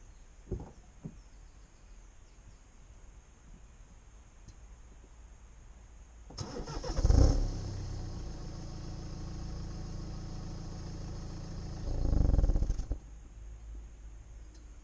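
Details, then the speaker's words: 2011 BMW 1 Series with the N47 diesel starts and idles, then gives a short, deep growling shudder when switched off; cause unconfirmed. "I've also had several comments about how weird it sounds when you switch the car off. Like, apparently it growls, so I'm just going to record a video because I haven't heard it myself."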